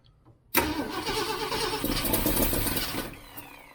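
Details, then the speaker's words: 1967 Ford Mustang 390 V8, start after engine rebuild with seafoam-treated fuel, gas squirted in float bowl: cranks, catches abruptly, runs rough and uneven then drops off; owner suspects timing a little too advanced, wants more or less air. "Sounds like it wants to want more air or less. That sounded like a little too advanced, doesn't it?"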